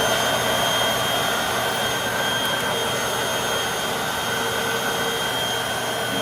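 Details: Hoover WindTunnel 3 High Performance Pet upright vacuum after a brush roll belt replacement: steady, even motor roar with a constant high whine and no knocking or slapping from the brush roll; running normally.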